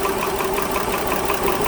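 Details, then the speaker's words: 2010 Dodge Journey 3.5 V6, MIL on, P0206: restarted, misfiring from startup though it wasn't earlier; steady idle with rhythmic stumble several times a second, one cylinder dead; number 6 injector diagnosed open-circuit. "so it's missing on a startup i'm sure it wasn't this viking you can see it misfiring now but it wasn't misfiring before"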